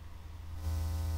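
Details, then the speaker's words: Guitar through audio interface into FL Studio with interface volume turned up: low electrical buzz with harmonic tones, growing louder with steady white-noise hiss as gain rises. "you can hear that that electrical buzzing and white noise sound is is awful we don't want that especially when we're recording guitar"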